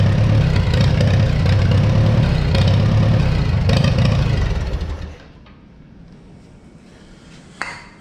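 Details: 1955 Oliver OC3 Cletrac crawler tractor, sat 20+ years, fitted with a Farmall M IH distributor and temporary coil: heavy regular chugging about 220 beats a minute fades after five seconds, never catches; owner suspects stuck carburetor float/needle.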